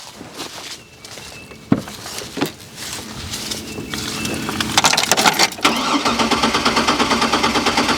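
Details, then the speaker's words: Trailblazer that ran when parked, sat 5 years (catalytic converter suspected): fuel pump audibly running with power confirmed at relay pin 87, starter cranks steadily and rapidly but never catches; crank no start, owner thinks relay probably not the cause. "wow so even with the fuel pump running which i can hear it i don't know if you can hear it it does not run so it's probably not the relay"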